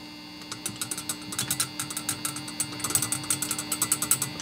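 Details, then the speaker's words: Orange Rockerverb 50 valve amp, volume and gain raised: light taps leave a short metallic ting over the hum on one valve only, which is likely turning microphonic; valves to be swapped and the bias rechecked. "you kind of hear the little tinging on one only I think that tube is starting to be a little microphonic and starting to get a little ugly sounding"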